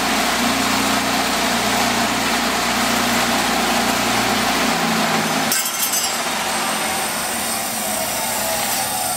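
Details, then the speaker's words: Sears 1/3 horsepower bench grinder with a ball-bearing split-phase motor, running: a steady motor hum and even whir, spinning up and running smoothly with no grinding. Normal bench grinder running. "well her Sears and Roll But third horsepower bench grinder totally includ ball bearing split phase motor works that's right"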